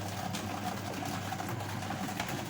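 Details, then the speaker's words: Washing machine after spin-dryer motor replacement, reassembled and rewired: steady even whirring hum, basket spinning very fast, no knocking or scraping; replacement successful, normal spin running. "nah ini untuk pengeringnya pun Oh putarannya sangat kencang ya bisa teman-teman lihat ini putarannya kenceng banget"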